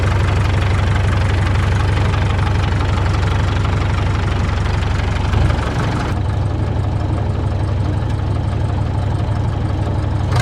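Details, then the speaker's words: 1952 Caterpillar D2, its diesel running after the pony motor was revived: low, steady diesel chug with an even beat at idle, no knocks or misses. The steering clutches are still frozen. The engine runs normally. "well the steering clutches are still frozen but it's nice to hear it run again"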